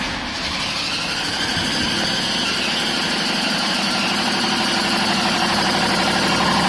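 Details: BMW 530d M57 diesel at idle: constant high thin screech holding steady pitch, owner says not the belts; source undetermined.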